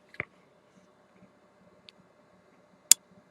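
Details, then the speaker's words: Cactus Sounds 4 kW car audio amplifier on the repair bench, which has an LED fault: two sharp, isolated clicks about three seconds apart as the output relays pull in at power-up. Relays engage normally. "Voilà, on a entendu les relais. Bon, j'éteins. Voilà, on entend bien les relais normalement."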